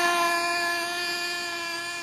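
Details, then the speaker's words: HPI Savage nitro RC car engine: a thin, high, steady screaming tone that slowly fades. It sounds like it's revving high, and the owner is unsure whether it's running right. "I guess maybe it's just me just sounds like it's revving High"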